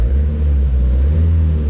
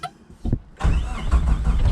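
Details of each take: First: 1986 Suzuki Samurai turbo diesel, long neglected and running rough since engine rebuild; after a new fuel filter, idles with a deep, steady, even rumble, no knocks or misses, smoke clearing; normal diesel idle. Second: 1986 Suzuki Samurai turbo diesel cranking after glow plugs; starter labours at about three sluggish turns a second, dragging unevenly without firing; battery running flat, later charged.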